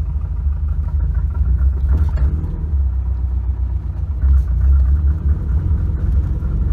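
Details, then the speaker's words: Subaru Impreza GC8 2.5RS after a failed dyno tune, smelling of raw gasoline, driven at steady throttle: a deep uneven rumble that surges and sags, bogging and stumbling so badly it is undrivable. The tune is to be removed. "oh oh oh can't even wow can't even drive it through the parking lot you hearing that wow literally undrivable"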